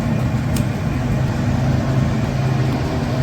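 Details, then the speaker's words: New aata chakki (flour mill) motor running, drawing 10 amps before capacitor contactor engages: deep, steady hum with no knocks, grinding or surges; mill motor running normally. "तो देखिए चक्की चालू हो चुकी है और एम्पियर की बात करें 10 एम्पियर ले रही है।"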